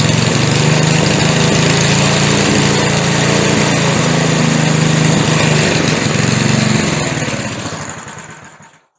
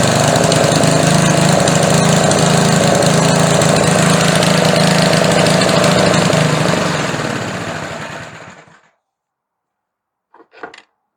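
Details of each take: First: McLane edger after adjustment, run without the air filter fitted: even, steady buzz at constant speed for about seven seconds, then a clean wind-down to stop; normal smooth running. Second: Older small engine with a McLane carburetor, after carb diaphragm replacement, reassembled with its air filter. Runs steadily at high speed, then shuts off and winds down: carburetor slightly out of adjustment, needs tuning with the engine running.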